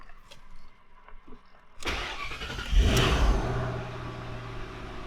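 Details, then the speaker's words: Shelby GT500 that would not start, after replacing a faulty alternator installed by another shop: quiet, then a brief crank, clean catch and steady, even idle. Normal start. "That's what we want to hear. So before, this car wasn't even starting, and now it's working like it should."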